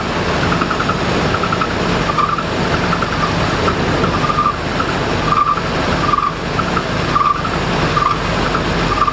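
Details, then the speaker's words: 2000 Nissan Frontier with a really bad high, thin squeak chirping on and off over the running engine; the accessory belts are likely slipping and needing tightening, top and bottom. "as you can hear and have a really bad squeak to it so I need to figure out what's causing that sweet mainly it's just going to be tightening up at the belts here and down here at the bottom"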